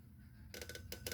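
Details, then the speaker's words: Hitachi KH-948H AM/FM/PB radio: short scratchy, dry rubbing bursts each time the tuning knob turns, with no hum. Owner suspects the knob is pushed in too far and rubbing the case. Tuning knob dragging. "And the tuning knob right here tunes very, it's got that little dragging sound."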